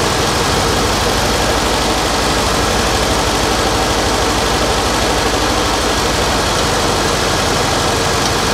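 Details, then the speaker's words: 1989 Winnebago LeSharo RV engine, previously abandoned, at a steady even idle with no vacuum-leak hiss now; idle possibly set too low after the idle bypass valve was turned down earlier. "definitely don't hear that vacuum leak anymore but I might need to play with the uh the idle cuz I did Jack with it I might have turned it down too much"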